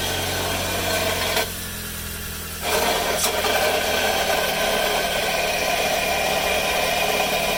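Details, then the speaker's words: Running engine: rough, steady whirring growl with faint rattle from a damaged alternator bearing, one of two (front and rear) supporting the central shaft. "El siguiente son los baleros del alternador. Este contiene dos, uno en la parte delantera y otro en la parte trasera, justamente para sostener el eje central del estator. Cuando uno está dañado, podría escucharse algo así."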